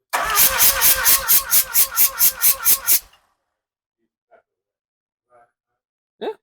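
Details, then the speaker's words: Mazda RX-7 12A rotary, compression test while cranking: about a dozen even, equal pulses, roughly four per second; readings near 116/110, front slightly higher than rear, possibly some oil in chambers; compression healthy and balanced. "so the front has a little more compression at least what we're seeing"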